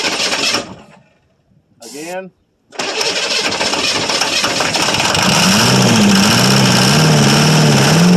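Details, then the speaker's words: 1982 Chevrolet Silverado K10 4x4 with 6.2 L diesel, sitting about 22 years, exhaust not hooked up: cranks, catches and roars loudly but runs only on starting fluid; no fuel delivery yet, and tank contents and lift pump are unknown. "running. Well, she runs. I don't think she's getting any fuel yet, though."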